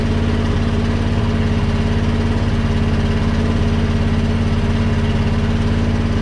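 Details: 1976 International wrecker, engine 345 or 392 being checked: steady low idle with a faint constant whine as the bed's hydraulic pump turns but the bed won't move; may not work.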